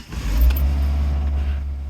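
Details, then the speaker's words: 1994 Ford Escort after fluid service, power steering fluid low, engine known to stumble on a good day; catches with deep rumble then sags and wavers nearly dying before recovering – engine stumbling after start. "Started to die, but that thing's bound to happen."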